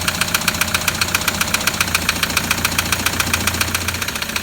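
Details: Cold idle of a 2007 Toyota Land Cruiser Prado 120 diesel (1KD) at 230k, hard fairly regular knock roughly 220 a minute rattling over the engine; heavy knock, blocked oil pickup suspected, engine near dead.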